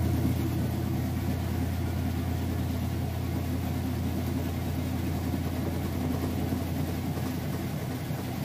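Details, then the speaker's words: Kenmore washer in its final spin cycle with a heavy load of jeans and towels. A smooth, steady low drone with no thumping, banging or grinding; the washer spins fast, smooth and quiet. "I'll show you that it is spinning nice and fast nice smooth quiet operation"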